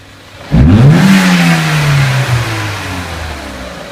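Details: 2003 Renault Clio 1.6 petrol, intermittent stalling traced to a loose crank sensor connector (sensor good): throttle snap gives a sharp rev rise and clean, smooth fall to idle without hesitation, crank sensor generating 0.8 to 4.4 volts; normal throttle response.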